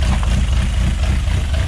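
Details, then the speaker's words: Project Zero 18 engine at first start: a deep, uneven loping idle just under 1000 rpm, lumpy but steady. This is normal for individual throttle bodies, which are nearly in sync and checked with an air sync meter. Oil pressure is just over 4 bar, and the unplugged Mazda alternator charges 13.5 V. "um part of this lopey idle is uh from running carbs back in the day you have a air sync meter"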